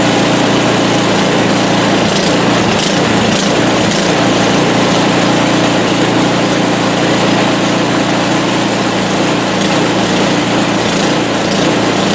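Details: PowerSmart 24-inch gas snowblower running after its first electric start of the year with choke and primer used. Loud and steady with an even, unbroken note and no misses or knocks; a healthy start and run.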